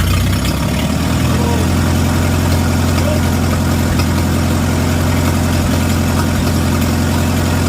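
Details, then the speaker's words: Antique Farmall gas tractor after magneto install and timing set, gasket not yet fitted: loud idle with slightly uneven, loping beat under a deep rumble; carburetor needs adjusting. "The carb needs adjusted."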